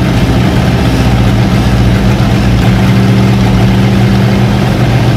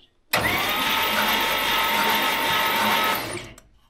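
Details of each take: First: Long-sitting 1956 Oldsmobile 88 V8 brought back to life after doing the plugs and filling the carburettor bowls: steady, even low rumble at idle with no knocks, misses or surging; normal idle. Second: Abandoned 1956 Oldsmobile 88, long stored and partly disassembled, no compression tester: about three seconds of fast free starter whir with hardly any cylinder pulsing, doesn't sound like much compression but turns over; possible low compression suspected.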